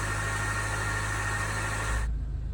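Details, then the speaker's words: 2017 Land Rover Range Rover Evoque, first remote cold start of the day: low steady idle with a thin constant whirr that cuts off abruptly; owner thinks an air pump is doing something, not confirmed. "so what it sounds like when it runs for the first time in the day it's not really bad it's just not quite as players I wanted to be"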